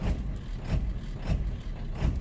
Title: 7.3 l diesel rough idle on startup